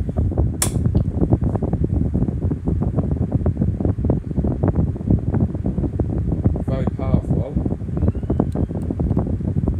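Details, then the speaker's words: 1996 Blue Ice 12-inch oscillating white desk fan on high speed: fast buzzy rattle over a steady fan whoosh; the grille, missing a screw, is vibrating, and pressing it stops the noise. "Vibrating noise coming from it as well. I think, yeah, it's the grill because it's missing the screw."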